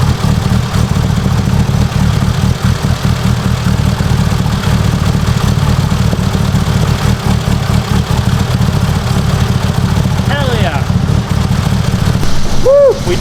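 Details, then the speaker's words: Mitsubishi Evo 8 800whp build, first start of the freshly assembled long block after install; loud, steady idle with a faint fast lifter tick while the lifters fill with oil, expected to quiet down; oil pressure good, no leaks. "it's gonna be a little bit noisy hopefully you can hear me the lifters got to fill up with oil obviously you know quiet down"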